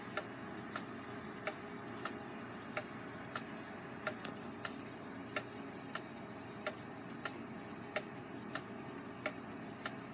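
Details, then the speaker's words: Rebuilt Gilbert long-drop octagon clock on the wall, springs not fully wound: crisp tick-tock with unequal escapement drops giving a slightly limping, out-of-beat rhythm that may vary over an escape-wheel rotation; some overswing; drops small, clock running fine. "drops aren't quite even either which adds to the sound that makes it sound like it's not a beat and we could mess with that a little bit too"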